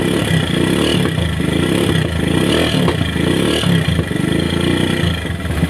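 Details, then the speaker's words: Single-cylinder motorcycle after oil was pumped through to restore circulation to the cylinder head, following an earlier piston seizure: an even, steady beat with ordinary valve clatter and no knocks or rattles, a normal idle as oil now reaches the head. "Semuanya berjalan normal, Bos."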